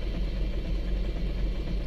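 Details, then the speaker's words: 2011 Isuzu Alterra 3.0 diesel with hard starting and a broken camshaft position sensor wire, after the code was cleared: a low, lumpy idle with an uneven beat that never settles, still running rough before the final fix. "malmag pa rin So may problema pa rin to mga guys i-scan pa rin natin to okay na guys"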